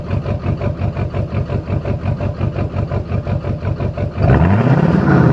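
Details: Duramax LLY diesel: idle pulses unevenly at about three beats a second with an off-beat stumble, then revs rise; misfiring.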